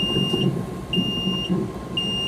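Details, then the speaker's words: 6030 Shuttlewagon railcar mover at key-on on a chilly day, before air valve replacement (stuck valve kept air horn sounding and couplers unpredictable): loud piercing beep half a second on, half off; warning alarm, cause unknown. "yeah, that's loud and annoying."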